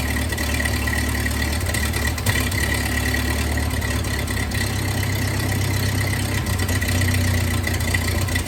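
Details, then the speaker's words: 1931 Ford Model A four-cylinder, long stored in a barn, just started with starting fluid; uneven, lumpy low idle chugging; timing advanced fully just to idle, owner thinks ignition timing is far off. "so I had to advance the timing all the way down just to get it to really idle so it's uh timing I think is pretty far off"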